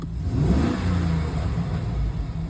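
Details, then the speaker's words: Chevrolet Silverado LS after fitting a replacement alternator, the second in three months: smooth engine note rising and falling with revs, no more alternator squeal or chirp, no battery light; belt and charging healthy. "Now, It's already better. Oh, she doesn't. My alternator doesn't squeal anymore."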